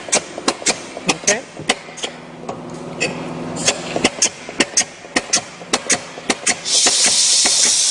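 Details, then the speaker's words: Paint-coating sprayer pump (StreetPrint Rapid Sprayer II) with first regulator turned up for more pump pressure and flow: sharp, even ticks about twice a second over faint hiss, coating pushed faster; normal fast pump cycling at raised pressure. "you can hear that the coatings ticking over quite fast which means the pump is pushing the coatings faster"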